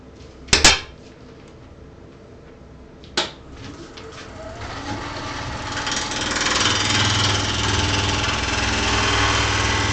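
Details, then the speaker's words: Lathe turning a maple bowl blank, flattening the end face with push cuts: gouge chatters roughly on the uneven face, easing into a smoother hiss or whisper once below the far side's surface. "so you can probably hear the chatter going at some point it turns into a kind of a hiss or a whisper that means I'm actually below the surface of that far side"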